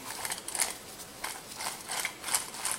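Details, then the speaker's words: Suzuki Jimny JB43 front wheel bearing, removed and turned by hand: gritty, rattling clicks in uneven bursts, with the balls loose. The bearing is dead; the new bearing turns silently. "C'est là c'est vraiment il est vraiment mort."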